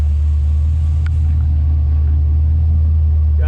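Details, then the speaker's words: Scout 80 with junkyard LQ4 6.0 V8 swap, first start: deep, steady idle near 600 rpm with no skips or knocks, running evenly on all cylinders, no check engine light; normal idle. "so let's hear what it sounds like so yeah she's running good"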